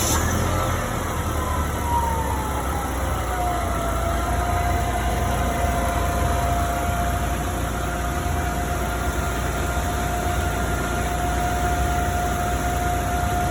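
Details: Forklift engine, exhaust leak repair context: steady even low rumble with faint constant whine, no puffing or ticking; running normally.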